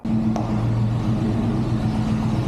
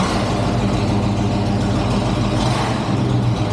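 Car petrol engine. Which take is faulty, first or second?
first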